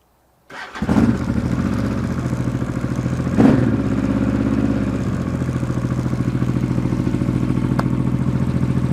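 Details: Honda XRV750 Africa Twin (RD07) V-twin just after engine rebuild, carbs not yet synchronized, runs a bit lean on one cylinder: cranks and catches at once, one quick blip, then an even throbbing idle with no knocks or rattles; healthy.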